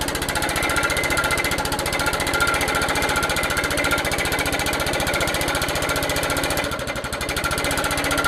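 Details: Old Suffolk Punch 43S lawnmower, revived after being bought non-running, cutting grass: single-cylinder fires fast and even, about three beats a second, holds speed; normal running under load, later cut out from lack of fuel, carb clean probably still needed.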